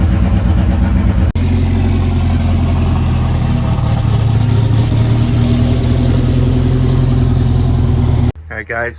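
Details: Mitsubishi Eclipse GSX AWD nitrous drag car, cold start after sitting weeks, not yet tuned, battery 11.9 V: cranks, catches, revs unevenly with wavering pitch as it settles; rough start, owner expects it from lack of tune.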